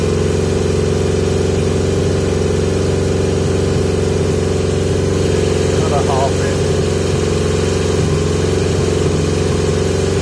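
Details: 1980 Yamaha XJ650 four-cylinder with pod filters, carbs recently worked on: steady raised idle, even hum, no dips or stumbles; idle too high, owner suspects pods give too little intake restriction.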